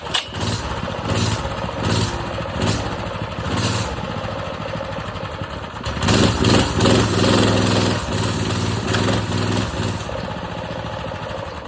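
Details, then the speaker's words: Predator 212 mini bike engine with idle set too low: the small single sputters unevenly, won't start or keep running without throttle, picks up only when blipped; owner thinks it probably needs choke and plans to turn the idle up. "The idle is really low. I got the idle down low, so you gotta kind of mess with it. You feel me?"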